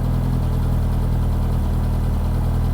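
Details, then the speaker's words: 1987 Reliant Rialto 2 barn find on a repeat start after its first start: a steady, even low idle with a smooth hum and no ticks or stumbles. A normal, healthy idle. "Beautiful. So that is the answer to will it start? That started beautifully."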